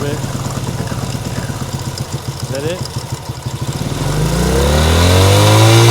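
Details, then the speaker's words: Cold 1970 Honda CL100 single, about 11,000 miles, just freed from seizure, on partial choke and smoky: uneven, lumpy firing about two or three beats a second, then picks up and revs smoother; struggling to stay running, owner unsure of cause. "it's we're a little Smokey here oh but that's to be expected because maybe I need a little bit of maybe I maybe I have too much"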